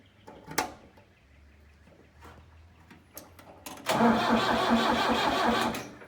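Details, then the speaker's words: Tractor left sitting three years in a meadow, with an old battery and fuel line and fuel pump issues: slow diesel cranking with near-firing puffs that never catch, still no fuel reaching the injectors; no start from fuel starvation. "we're still getting nothing at the injectors you're just going to have to keep cranking and hope we can pull some fuel"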